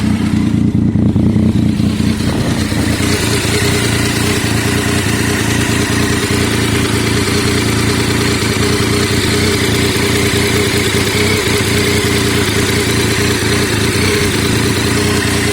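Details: 2011 Triumph Tiger 800 ABS triple at idle: uneven, lumpy rough idle with busy mechanical clatter over the exhaust, seemingly coming from the right side of the engine.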